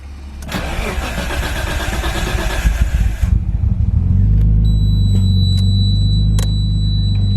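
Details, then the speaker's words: Nissan R33 Skyline RB engine after fitting LS alternator kit for voltage loss, primed then started: starter cranks about three seconds, catches cleanly into smooth even idle, no misfire, no belt noises; dash shows 14.1–14.2 V. "All right, Alright, so she fired up and there's no misfire, which is nice. Nice to hear."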